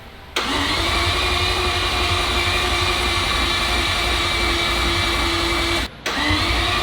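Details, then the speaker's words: Mazda RX-7 FD four-rotor first start attempt: starter cranks steadily five seconds, pauses, cranks again but never fires; no spark from the coil packs. "we have no spark from our coil packs yeah my heart rate I'm so stressed"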